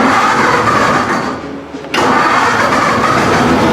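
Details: Chopped 1950 Ford Shoebox, started via dash button with an electric fuel pump hooked up: brief crank, then the engine catches at once and settles into a steady, even run with no misses or knocks. Normal engine start.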